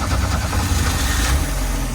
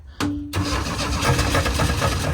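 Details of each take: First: 1985 Chevrolet Astro cargo van, four-cylinder, four-speed manual, first run since about 2011 after 15 years sitting; sticky throttle pedal pulled back: deep, even idle with smooth pulse, no stumbling or knocking; idles well. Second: 1985 Chevrolet Astro cargo van, four-cylinder, four-speed manual, sitting 15 years and last registered 2011, first start with fuel pump plugged in, briefly caught fire: uneven cranking that stumbles and catches a few seconds before dying; hard start after storage.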